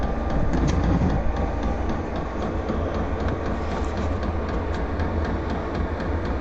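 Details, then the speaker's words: VEVOR heater just lit and heating after its first start, exhaust getting hot: steady deep combustion roar with quick, regular faint ticking, running normally though the owner hopes the noise will fade. "J'espère que le bruit va s'estomper quand même parce que c'est un peu pénible."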